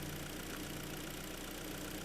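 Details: Korean G4KD engine just overhauled, first start on fresh oil with antifreeze topped up, still cold and bedding in, expected to quieten as it warms: steady, even idle with a smooth low hum, no whistles, squeals or knocks; normal idle.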